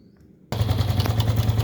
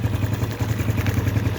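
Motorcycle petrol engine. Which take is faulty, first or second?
first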